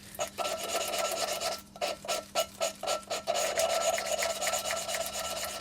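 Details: Classic Mini A-Series 1380 engine build, lapping a valve into its seat by hand: even rasping strokes about four a second with no skipping or catching. The valve is bedding nicely into good seat contact.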